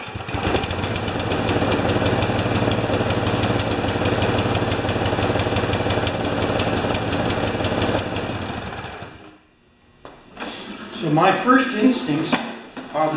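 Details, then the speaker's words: Husqvarna mower that barely runs: uneven chugging beats about three a second that falter and die out; the engine sounds like it is choking and it's wet; rough running and stalling. "this here just sounds like it's choking on me it's wet too"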